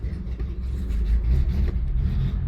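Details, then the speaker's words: 1970 Citroen DS idling after suspension work: low, lumpy idle that surges and sags unevenly and sounds close to stalling; rough running, cause unknown. "Running a little bit rough. Sounds like it's about to stop actually."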